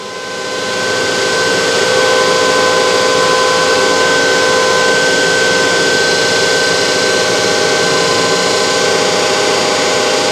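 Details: DC compound motor trainer kit in a lab load test, brake load raised to about 1 A armature current, 2 kg load, 1715 rpm: steady whirring hum with constant pitch and a clear tone near 1.6 kHz, no knocks or rubbing; normal running under load.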